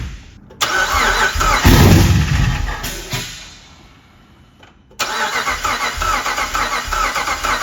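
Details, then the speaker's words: Cammed 5.7 Hemi Jeep Grand Cherokee, first start attempt after cam install, timing correction (was one tooth off) and new tune: lumpy uneven cranking that catches, stumbles and fires rough; suspected slung/unseated pushrods leaving cylinders with no compression. "Could be a slung push rod cuz push rod Scotty >> slung push rod will act like it's got no compression on cylinder too."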